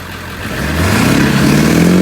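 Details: 2000 Ford 7.3 Powerstroke diesel dually, manual, after fuel line replacement and bleeding with starting fluid: revs smoothly and evenly from low to steady higher speed, no misses or knocks; normal running.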